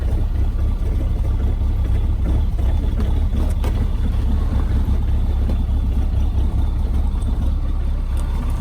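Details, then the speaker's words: Mahindra Roxor diesel with 96.4 miles and 21 hours, cold-started after its intake grid heater warms: low, steady diesel clatter with a slightly uneven beat, idling rough at first and expected to smooth out after about a minute; normal cold-start idle. "you can hear it idles very rough initially after about a minute it should smooth out"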